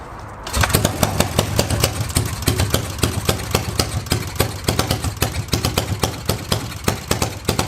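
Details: Yamaha XS650 twin, first start in 25 years on rebuilt stock carbs: after starting, lumpy uneven popping beat, not a smooth twin rhythm. One exhaust cold; owner suspects one carb faulty, only one cylinder firing; a spark plug wasn't fully in.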